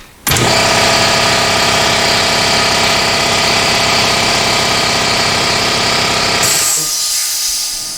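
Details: Porter Cable 5 HP 60-gallon air compressor, about 20 years old, after fitting a replacement motor and repaired drive pulley: loud, even mechanical clatter about three or four beats a second, no knocking or squeal; running healthy.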